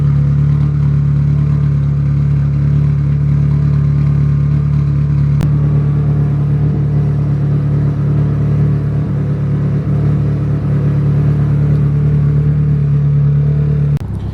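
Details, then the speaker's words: 240 with turbo, just running and driving again after intercooler piping work; coolant temperature holding around 180; steady, even low fast-idle note with no stumbling or popping; normal running. "right, as you can see, as you can hear, the car runs, the car drives. ECTs is staying around 180."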